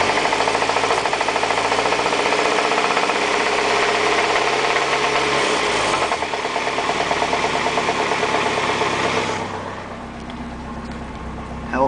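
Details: 1989 Honda Accord LXi engine held near 1500 rpm with a rapid hard knock, then back to idle; rod knock, number 3 rod stretched its end cap bolts and had excessive journal-to-bearing clearance.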